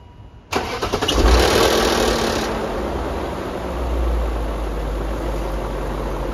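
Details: E39 BMW M5 S62B50 V8, first start after chain tensioner replacement: dry timing chain rattle for the first 1-2 seconds until the tensioner fills with oil (normal), then settles to an even, quiet idle.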